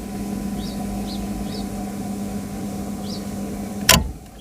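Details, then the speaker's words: Water pump motor starter after refitting and reinserting the fuses, recorded by microphone: steady low mains hum with no chatter or harsh buzz, birds around; the earlier loud starter noise is now much reduced to normal, though voltage could also cause such noise. "मित्रांनो आवाज याचा एकदम कमी असा झालेला आहे. पहिला भरपूर असा आवाज येत होता, परंतु आता नकळत नॉर्मलसा आवाज मित्रांनो येथे येत आहे."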